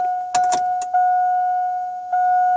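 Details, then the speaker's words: 2000 Chevrolet Silverado 1500 Z71, new fuel pump priming at key on, engine off, after the system was drained: a clean, steady, much quieter electric hum with key clicks; it reaches 60 psi and holds, so the pump is healthy. "Of course, I do need to prime it because I've pretty much drained the whole system. So let's do key on, engine off. Let's prime it a couple more times. I can hear it."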